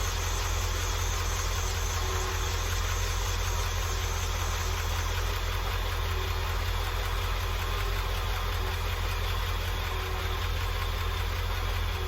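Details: International truck engine, started with a cover removed while troubleshooting a noise, idles low and steady with a light, quick ticking. A valve train tick is suspected, not confirmed.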